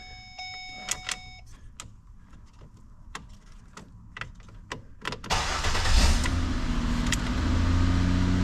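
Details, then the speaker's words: 2008 Ford Escape towed in for no start/no crank: key clicks and fumbling with no cranking until the key is held and rotated, then it cranks and idles steadily; worn ignition lock cylinder housing, replaced with Dorman 989-019. "so what happens is it's wore out enough where it's not turning the ignition switch far enough to start"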